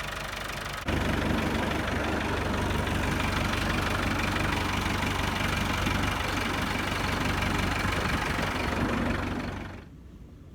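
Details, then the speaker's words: 1964 Massey Ferguson 65 diesel tractor just revived: even, steady diesel clatter with firm low thrum holding speed without misses, then cutting off; healthy idle, before fluid change and fuel system flush. "we got her running we know she's a good tractor"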